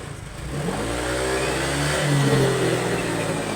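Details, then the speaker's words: Honda Click 125 fuel-injected scooter, over 70,000 km, engine running before throttle-body reset: revs waver and bog, struggling to climb and nearly stalling when accelerating; throttle body sensor suspected. "ละวอดจ้ะเร่งละวอดเร่งละวูบเร่งไม่ค่อยกินแต่ว่าขับขับขี่ได้อยู่ก็เวลาเวลาจะเร่งแซงเวลาจะออกตั๋วแล้วมันจะวูบดับมันทำให้ขับขี่ไม่ดีจ้ะ"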